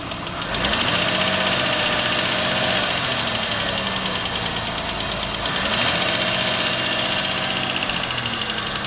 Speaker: the first sound I want to talk about is lifter ticking or valve tick and you'd hear that most likely on Startup or sometimes it would be constant and it would get faster or slower depending on how fast or slow the engine is running